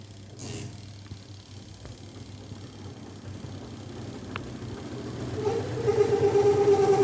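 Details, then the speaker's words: LG 7.5 kg semi-automatic washing machine, washing fine but spin dryer noisy: heavy uneven rumble and rising hum as cloth gets trapped and drags in the dryer. "इसमें काफी ज्यादा आवाज आ रही है तो अभी हम इसको चेक करेंगे वा किस चीज की है तो इसमें मे भी कपड़ा ही फस जाता है कई बार कपड़ा फसने वैसे आवाज आती है"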